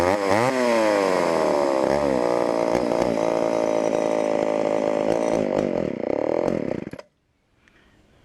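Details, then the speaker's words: Homelite Super XL two-stroke chainsaw: revs surge and sag unevenly, never settling, then the saw dies; running lean on the low-speed mixture, needing adjustment or a softened carburetor diaphragm. "definitely lien on the bottom and either gonna have to adjust that or maybe just let the carburetor diaphragm kind of soften up here"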